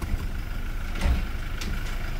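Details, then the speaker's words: Toyota Hilux at idle after differential reassembly, dash warning lights on: steady idle, then a dull thump shifting into D; harsh engagement blamed ~90% on a weak battery after sitting unused for days. "tudo isso aqui por incr que pareça esse piseiro todo é a bateria é 90% de ser só a bateria faz esse piseiro todo aqui no câmbio no painel e tudo a bateria tá fraca"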